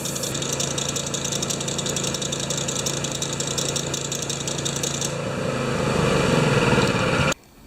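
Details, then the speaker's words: Honda-powered wheelbarrow air compressor No. 3, revived after sitting for years, poor carburetor idle. It chugs under a harsh, rapidly chattering high squeak, then revs and stops; the owner suspects the new, possibly mismatched V-belt squeaking. "The carburetor doesn't idle well, and I think that new belt I put on there has a different V or something in it because it really squeaks."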